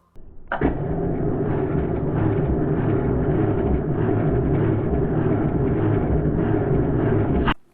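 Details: Barn-find Mini Metro 1275 with rebuilt SU HIF44 carb, spark problem with unfamiliar distributor: about seven seconds of steady even cranking that never fires, then stops; cranks but won't start, cause suspected, not confirmed.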